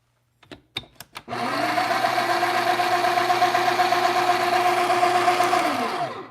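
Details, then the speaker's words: Breville Barista Express built-in burr grinder, about five years old: steady low motor hum lacking its former high-pitched whine, running slow and weak; cause not confirmed. "did you hear the sound the problem is it's not uh it's not like fresh Sun okay kind of like fresh motor uh because before there is a lot more high pitched more strong now is like higher old man you know walking let's put it that way okay it's not like kind of like I mean it's pretty slow okay I mean it's pretty slow"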